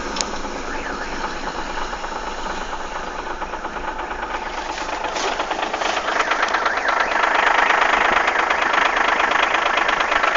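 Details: Audi A6 V6 TDI 110 kW diesel: a regular knocking tick about three times a second rides over the idle and grows harsher as revs rise; strange engine noise, cause unclear.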